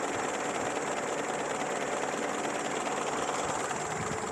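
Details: Peugeot 205 TU engine with a noise and shaking on acceleration: rough, rattly drone holding steady with a loose, uneven pulse and no clean knock; abnormal engine noise, cause undetermined.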